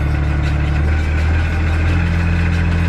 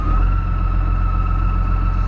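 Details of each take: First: MF 3690 tractor driving a McHale Fusion 2 baler, baler just switched on before baling heavy dense grass: deep even drone with steady low pulse, no knocks, rattles or squeals; driveline runs very smooth. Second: Massey Ferguson 3690 tractor with McHale Fusion 2 baler in heavy dense grass: steady high screech over the tractor drone as a chopping knife twisted sideways in the chopping box; no damage, knife replaced.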